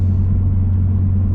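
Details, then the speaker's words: Car at about 238k miles on a replacement transmission from about 194k, after a clutch job: a steady low drone at even pitch under the engine rumble; drivetrain source still undiagnosed. "and we still have that sound so i have no idea what it is honestly and it's kind of frustrating"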